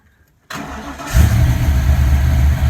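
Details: 1988 Mustang GT, five-speed, rewired with rebuilt ECU, after intake work; brief crank and it fires at once, settling into a deep, steady idle, a clean healthy start.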